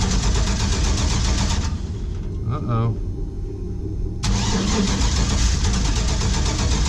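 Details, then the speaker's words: 1949 International KB2 truck with GM LS engine swap, E38 ECU and basic tune, old fuel in fuel cell: steady cranking at three to four turns a second with no firing; owner checking spark, wonders if O2 sensors are needed. "something's wrong i'm gonna check spark all right again [Music] oh she wanted to start"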